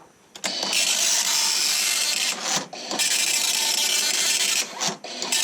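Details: 1984 Commodore MPS 801 dot matrix printer in test mode in 2021 with dry ink ribbon: rapid buzzing print-head hammering bursts with brief pauses at each line return; printing normally.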